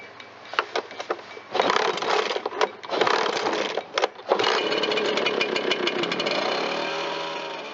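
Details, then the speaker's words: Echo PB-770H two-stroke backpack blower, heavy commercial use, after spark plug refit, started on full choke and briefly warmed: sputters then holds a raspy steady note that never climbs and sags; not reaching full throttle, throttle cable adjustment suspected. "After letting it warm up for a moment and a brief test run, it's obvious this machine is not getting full throttle, so we're going to take it further apart and adjust the throttle cable."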